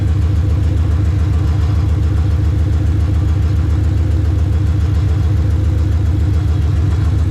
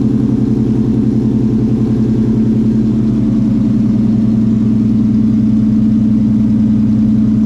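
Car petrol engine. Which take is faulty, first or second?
first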